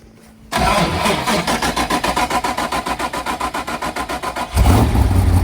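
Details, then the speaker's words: Car with Tremec TKX transmission after a first-gear failure at the drag strip, recorded low near the car: engine catches, then rapid rhythmic clatter over idle and a heavier drone; broken gearbox suspected, transmission to be removed. "man that sounds bad so we're going to push it out and and take transmission out"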